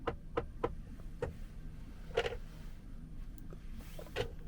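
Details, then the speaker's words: Audi Q6 centre armrest, still unchanged after workshop visit: a run of sharp clicks about a third of a second apart, then a heavier clonk as the lid opens; owner suspects a poor ratchet mechanism; armrest clonking. "I don't think it should be clonking like that. I've not known any other car do that. There must be some kind of ratchet system in it that's just a bit crap."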